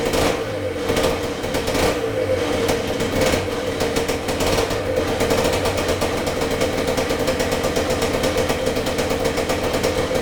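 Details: 1978 Yamaha DT175MX two-stroke, very first start after complete restoration with new crank bearings and seals, new piston and rings and new small-end bearing: crisp busy crackle idling and revving freely and evenly, no knocks or rattles; normal running.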